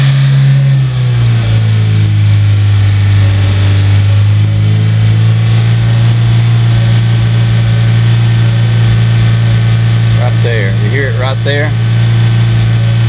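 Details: 1983 Toyota Mini Winnie motorhome engine, warmed up, free-revved: steady low drone climbing with revs, with a faint uneven stumble at the top end; owner notes a slight high-rpm miss, slight exhaust mist and some oil use.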